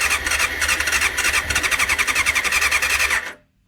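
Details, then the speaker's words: 1989 Honda CBR600 restoration, cleaned carbs, fuel primed, choke on: rapid uneven sputtering then abrupt cut-out; engine tries to catch but dies when throttle is opened, before it finally runs. "Oh, it's like it's trying. Fuel seems to kill it. Throttle seems to kill it off."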